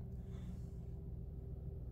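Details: Renault Triber at warm idle, normal temperature, windows closed, AC not yet switched on: low, steady engine hum with even rumble and faint constant tone, no knocks or whine; runs normally before the AC compressor noise is demonstrated.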